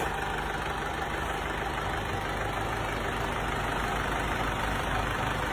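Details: Diesel engine after rebuild with new connecting rod, liner and piston rings (previously knocking as a piston hit the cylinder head from worn bearings): even, steady idle with ordinary injector clatter and no heavy bottom-end knock; healthy.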